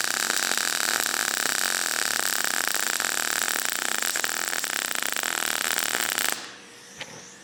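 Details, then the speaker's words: Everlast PowerMTS 141Si 120V welder in MIG mode, voltage raised above 21 V with faster wire speed: harsh, loud frying crackle with irregular sharp pops and more spatter; voltage set too high, though the weld looks fine. "Well, I think you could hear it. I think I had it right the first time, but the weld looks fine. A little bit more splatter on that one."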